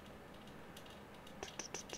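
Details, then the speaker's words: Office air conditioner turned way down and blasting cold: loose piece of tape on the unit flaps in the airflow, giving faint irregular typing-like ticking and rattle over a steady air hiss. "AC unit sounds like typing yeah well there's a piece of tape on the highest point of the old slap and it goes yes and so typing in my office I'm sorry"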